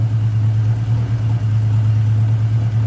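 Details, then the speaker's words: 1979 Honda GL1000 Gold Wing flat-four following valve seal replacement for excessive smoking; deep, even low hum at steady idle with no misses or knocks; no smoke; normal idle. "so as you can see so far so good this is going to be an awesome running bike"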